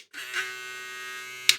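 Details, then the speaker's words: Electric clipper (BRD) fitted with the new Zircon/Rosius blue blade. Short clipper buzz with a thin high edge, a bit louder than before. "Bueno, se escuchó un poquito más alto. Algo se movió aquí adentro."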